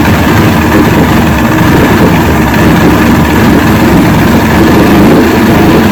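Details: 1970 Evinrude 85hp two-stroke outboard, hydro-electric shift, about 50 years old, new water pump impeller, just started on key with choke, in a water container: loud steady low neutral burble, even beat, no knocking or stumbling.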